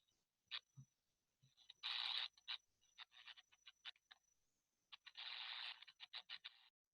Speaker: Je fais rapidement une fois de plus. Ça va être de l'amorçage.